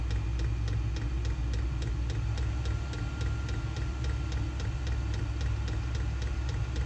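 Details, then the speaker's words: Diesel air heater running through warm-up to full heat after glow plug stage, on a jumper pack; steady low blower rumble with crisp fuel pump ticking about three to four times a second; normal running. "there's the indicator for the fuel pump and you'll hear the ticking too you don't really need the indicator on the control board but uh it shows up anyway"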